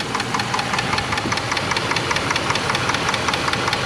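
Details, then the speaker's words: Dodge 4.7L V8 at about 200,600 miles, warm idle after a 15-mile drive following a third repair attempt with new lifters: sharp even clicking about 2.5 per second, stethoscope places it at the valve cover; valvetrain tick, cause unconfirmed. "So, it's clicking. You can hear it. And I use the stethoscope. It's It's coming uh from the valve cover and uh man, I thought I had it."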